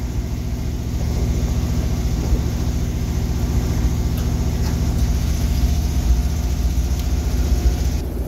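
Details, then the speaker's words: 1988 GMC 6000 at startup, possibly cold: deep, uneven idle with loping, stumbling beat; owner says it needs an EGR valve, rough idle from faulty EGR valve. "yeah it needs an EGR walkoff valve that's why it sounds like"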